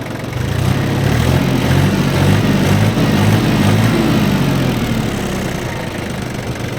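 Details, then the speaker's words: Yanmar FX18D diesel mini tractor with 956 hours, idling with a low, even chug and a steady beat, no knocks or rattles: normal idle. "ровно без каких-либо лишних звуков давайте взглянем на сам двигатель"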